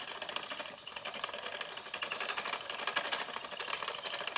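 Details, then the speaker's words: Spinning wheel while treadling, rubber parts recently replaced: quiet, dry, uneven clicking and tapping; owner suspects the flyer is not secured, not confirmed. "makes that noise i have to stop because i'm gonna pull um because i think the sound is coming from the flyer not being secured"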